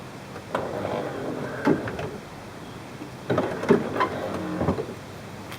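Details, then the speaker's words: 1994 Chevrolet Corvette C4 headlight motor after its worn gear was replaced. Two short, even motor runs, each about a second and a half, as the light goes up and down, with no grinding and no motor run-on: normal operation. "Sounds really strong. Um, everything's functioning perfectly. Goes up and goes down. No grinding, no uh excess motor running."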